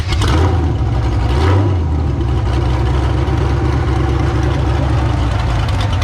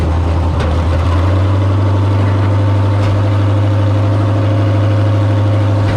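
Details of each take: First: Figure 8 race car running after power steering pump replacement and air bleeding; strong, steady low rumble with a slight rev blip, then an even smooth beat. Engine sounds healthy, ready to race. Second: Figure 8 race car idling after a burned-up power steering pump was replaced, steering turned to cycle fluid: steady low idle with a faint level whirring whine from the pump still bleeding air: power steering pump noise from air in fluid.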